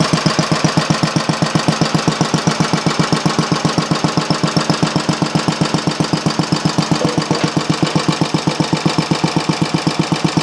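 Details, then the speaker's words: Briggs & Stratton Model A engine, primed with a squirt of fuel; a steady, even single-cylinder pop at about four beats a second with no skips or knocks. Normal running. "okay keep going run so it looks like gonna get three out of it"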